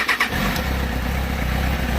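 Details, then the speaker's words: Motorcycle in neutral started on the button after its dead battery was recharged, engine very cold: a short starter whir, then it catches, sputters a little and settles into a steady low idle; normal electric start. "we go and she was really cold so why was sputtering a bit that's a successful job"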